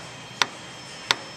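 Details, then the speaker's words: 1968 Mustang Shelby undercar inspection, drive shaft rocked by hand: two sharp metallic clicks about 0.7 s apart from play in a worn U-joint; front and rear U-joints recommended for replacement. "if you can get a picture here of the drive shaft we show you the play in The U Joint if you can hear the knocking noise"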